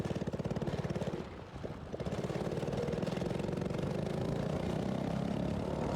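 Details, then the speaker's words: Tecumseh OHH50 engine on vintage Manco American Express go-kart, slide carburetor needle set lean: held wide open, engine pulses unevenly and sputters at the top end; found to be getting too much fuel, running rich. "You can hear in this last clip that I have of this thing running, it's still doing the exact same uh exact same thing that the other go-kart was doing actually where you can hear I'm holding it wide open, but it's kind of sputtering at the top end."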